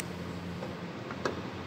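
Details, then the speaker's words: On a Mercedes E270 W210, after the front passenger door lock was replaced, the rear fuel filler flap releases with one crisp, prompt click and no dragging motor. It was previously slow to open and now works normally. "noch mal hinten den tankdeckel anschauen ich habe ja auch das problem gehabt dass es länger gedauert jetzt ist gerade offen"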